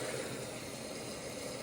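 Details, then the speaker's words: Whirlpool Duet front-load washer WFW9450WW00 with F15 door-lock error, after cleaning the door lock latch and securing a loose latch, quick wash, cold: lock clicks and a quiet, steady hiss of water fills normally with no clicks, knocks or buzzing. "It's locked. says door locked. No, there you go. Door locked. And I hear the water being dispensed."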